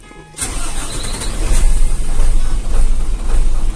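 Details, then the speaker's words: Tronton dump truck diesel started and idling, a loud, deep, slightly lumpy uneven beat said to be characteristic of this engine; normal uneven idle. "Suaranya emang kayak gini yuk. Itu udah ciri khas filter. Vector Ya. Suaranya pincang-pincang gini ya, tapi normal."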